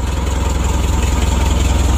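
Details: Suzuki Carry 1.5 petrol van idles with a steady, even low throb and no skipped beats after repair of a severe misfire and lack of power; smooth idle.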